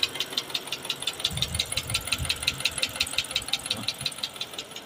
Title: Dodge Durango engine knocking noise top Overhaul 5.7 engine 2011 model